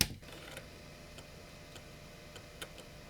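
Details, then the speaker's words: IBM Aptiva 2139 late-1990s PC floppy drive after a drop of machine oil on the worm shaft: faint light ticks about every half second over quiet hum, even seeking; boots DOS 10 of 10 times, drive fixed. "I'm gonna call that consistent and say that this drive is fixed."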